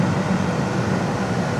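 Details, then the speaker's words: Once-flooded Cobra being made street legal: AC compressor slow to engage, then steady even hum, low drone and blower rush, no clatter or squeal, air ice cold; normal AC compressor operation after owner feared leak. "It took a minute for it to engage. Boy, when that kicked in. Oh, man. All right, good. I was worried."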